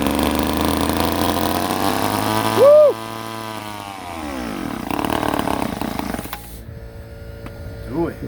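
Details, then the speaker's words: Ohlsson & Rice chainsaw sat 20+ years: screams up briefly, pitch drops, dies and sputters; small fuel orifice keeps plugging, owner suspects tank pickup line gummed from years of sitting, fuel starvation. "focusing on that that little orifice keeps getting plugged up I imagine there's a line that goes into the bottom of the tank that has just gummed up something fierce from the years of sitting around and it keeps getting plugged up quickly"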